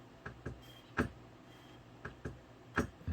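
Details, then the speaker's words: Golden Tee arcade board after botched main CPU removal and resolder: faint sharp uneven clicks every fraction of a second; board in constant reset, never boots, CPU not warming, 3.1–3.2 V rail present. "That's fine, but I can tell we're in a constant state of reset. I don't know if you can hear that."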